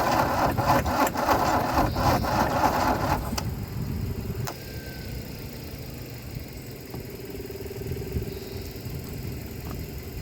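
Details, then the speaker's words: Mercedes W123 300D with 3 L diesel, parked 20 years, after glow plugs: about three seconds of sluggish, labouring cranking under four beats per second with no firing. A weak, flat battery turns the engine too slowly. "all right it's pretty dead still might might need to let that battery charge for a little bit"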